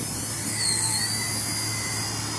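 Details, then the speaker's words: Blade Nano CPX on the stock old 45C 150mAh 1S lipo, windy day: high electric motor whine dips and strains, bogging badly as pitch is added at idle up; the tired battery lacks punch and sags. "really start putting some pitch into it you can hear it bogging pretty bad"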